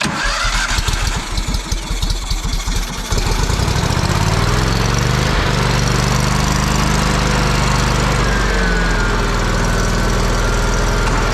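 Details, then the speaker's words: Kohler CH750 engine in a Miller Trailblazer 302 AirPak welder, after the owner's repair: cranks a few seconds, catches and settles into a smooth even run. It sounds pretty much identical to the other welder. "oh 340 don't they sound pretty much identical now Mike wins Mike one again"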